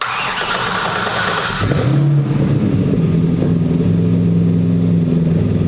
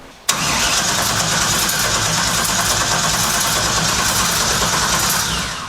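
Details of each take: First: Mid-engine LS-powered 1967 Mustang Fastback with direct port nitrous and brand-new fuel system, primed several times after a power lug connection was fixed: starter cranks briefly, engine catches cleanly and settles into a steady even idle, no misses or knocks. Healthy start. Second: Mid-engine LS-powered 1967 Mustang Fastback on an SLC chassis, built from a Bugatti replica with a newly plumbed nitrous system, fuel system pressurized with no leaks: starter churns steadily about five seconds with no catch, crank no start. Cause unconfirmed; troubleshooting air, fuel, spark.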